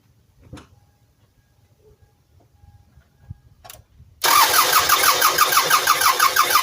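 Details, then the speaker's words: 1999 Toyota Sienna minivan with random-misfire codes P0300, P0301, P0302; compression test while cranking with EFI fuse pulled reads cylinders four and six about 180–190 psi but cylinder two only about 5 psi; cranking beat uneven; valves suspected, low compression in one cylinder. "two only got maybe five psi"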